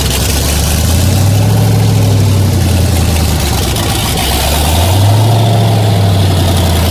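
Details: 1981 Toyota Starlet with LS-swapped L76 V8, twin turbos, after balancer change and coolant refill, running to bleed air: steady deep idle with gentle rise and fall in revs, no belt squeal or chirp; normal.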